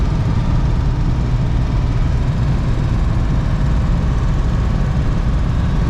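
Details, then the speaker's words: Campervan engine after overheating and cutting out: uneven, lumpy idle near stalling, won't stay running without throttle, smoke seen; a pop heard, owner suspects the serpentine belt came off; cause not confirmed. "This thing is running really [ __ ] rough."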